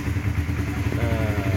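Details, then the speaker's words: 2007 Honda CBR 150 with original standard engine and original carburettor, idling: steady, even low single-cylinder thump with no knocks or rattles; very smooth, healthy idle. "oke teman-teman ya, masih halus banget ya suara mesin, kita dengerin. Masih halus teman-teman. Halus banget suara mesinnya."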